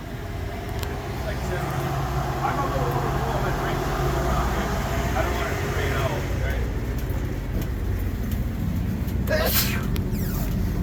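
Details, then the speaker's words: Race car warmed up after replacing a bad axle bearing that was leaking 80-90 gear oil: steady, even idle with no knocks, and gear temperature stays good while running; normal idle. "idle smooth and gear temp stays good while it's running"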